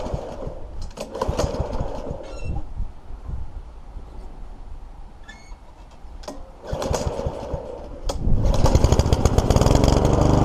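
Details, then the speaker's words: Troy-Bilt mower with Honda GCV160 engine cutting out when self-drive is put in gear four: ragged, uneven firing sags almost to nothing then picks up roughly; stalls under drive load. "so the stomach run with a self-drive but as soon as you pull it into the number four the engines cutting out"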